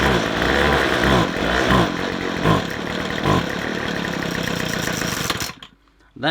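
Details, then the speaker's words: McCulloch two-stroke strimmer, won't run off choke: it sputters in uneven bop-bop pops and won't rev when the throttle opens. It is running lean and starved of fuel, and a blocked fuel filter is suspected. "That sound, when you rev it, it goes bop, bop, bop, and doesn't rev. That means it hasn't got enough petrol."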